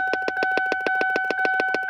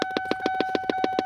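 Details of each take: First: 2002 Lincoln LS V8, key in ignition: rapid popping from a dash speaker stops after unplugging an unknown under-dash module, possibly an old aftermarket car starter, leaving only the slow key-on chime. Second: 2002 Lincoln LS V8 with the key in the ignition: rapid even popping, about seven a second, over a steady electronic tone from a large aftermarket speaker under the dash; unplugging the speaker stops the noise, and its purpose is unknown.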